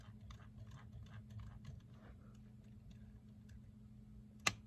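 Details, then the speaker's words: 1957 Bulova AM vacuum tube clock radio during restoration, set to turn on at about noon; quiet room then one sharp click as timer reaches set time; switch trips cleanly, though radio still not turning on. "right now it's set to about noon so now I Advance the time and then at noon you'll hear click and it goes"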